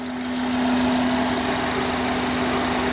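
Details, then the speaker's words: 2005 Honda Accord 4-cylinder at idle: steady humming whistle near throttle body, louder from filter box; IAC and PCV valves already replaced; sound stops when a piece is removed, owner suspects vacuum leak or throttle body, unconfirmed. "a whistle usually when I remove this piece from the holes the Sun the sound stops so I believe it has to be something with the vacuum"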